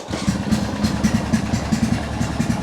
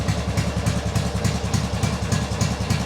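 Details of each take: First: Old machine just revived, charging around 13 volts, oil leak suspected: fires quickly and settles into a steady even idle with regular low thump, exhaust sounds like an old boat; no knocks or misses, healthy. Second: Engine that now runs and drives, idling: a steady, even, loud and blatty low putter of about 3.5 pulses a second; the engine itself seems fine and the noise is suspected to come from the exhaust.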